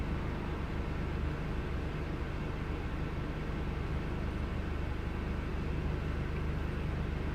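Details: Low, uneven engine rumble with an irregular stumble of roughly three to four beats a second; misfire, cause unclear.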